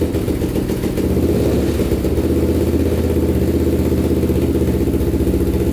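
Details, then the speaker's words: 1999 Honda 400ex carbureted single-cylinder quad, stock before a turbo install, cold start at about -16 degrees in the shop, running on choke: even, steady thump at about four beats a second; normal cold idle baseline. "while she runs it's about negative 16 degrees right now so a little cold in the shop today running with the choke on for a bit here running pretty good"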